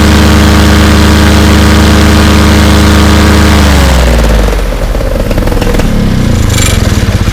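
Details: Fresh Breeze Monster paramotor two-stroke, back from repairs, full-thrust run against a house wall: loud, steady high-rev roar for about four seconds, then revs drop away cleanly, a little bang at the end; no misfires, normal.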